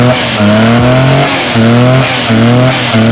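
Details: Car that had a misfire and wouldn't climb hills; clean revs rise and fall smoothly with the throttle, steady pitch, no stumbles or skips; engine firing evenly on all cylinders.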